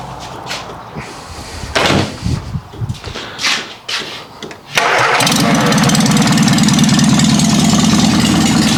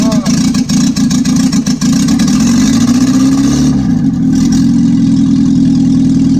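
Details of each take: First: 1955 Morris Minor with engine and gearbox just installed, ignition reset to firing order 1-3-4-2: cranks, catches, then runs loud and raw with no exhaust because the downpipe is missing. Open exhaust. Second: 1955 Morris Minor with a freshly installed engine and gearbox, end of day one: engine runs steadily with an even low beat and a brief rev rise, catching cleanly, healthy; car not yet driving.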